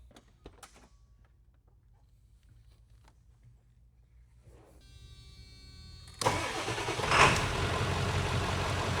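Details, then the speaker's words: 1997 Ford 7.3 Powerstroke diesel, 169,000 miles, after new terminals and dual Optima Red Top batteries: short brisk crank, fires right away, settles into steady even idle; far better start than ever before. "Holy crap, that started really nice. Wow. That is a night and day difference."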